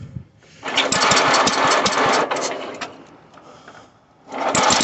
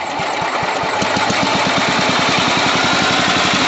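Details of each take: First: Sears Suburban 12 hp Craftsman tractor on full choke: the engine cuts out, then restarts into a fast, buzzy, slightly hunting rattle. It is running lean, so the fuel screw on the bottom of the carburetor is turned counterclockwise. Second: Sears Suburban 12 hp Craftsman tractor after the carburetor mixture was enriched and the idle adjusted: an even, low putt-putt holding a steady slow idle without misses or surging. Normal idle.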